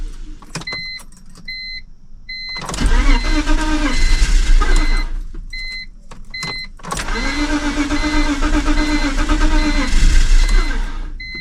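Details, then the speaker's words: Cheap BMW project car that used to run when parked: chime beeps, then two long stretches of steady starter cranking that almost catches but never runs, fuel smell developing; extended cranking, no start. "I just sat here cranking the car for a little while cuz it used to run when he first parked it"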